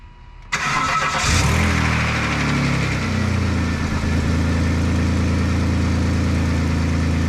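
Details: Saturn V6 first start after replacing the upper intake manifold gaskets and valve cover gaskets (spark plugs and ignition coils per title). It cranks briefly, catches cleanly and settles into a smooth, even idle with a low rumble, no misses or ticking; healthy.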